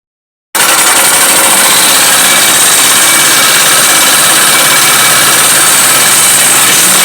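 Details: Motorcycle with engine noise the customer thought needed only valve adjustment: harsh metallic clatter over idle, loudest in the high range and fairly steady; a shaft is missing its bearing.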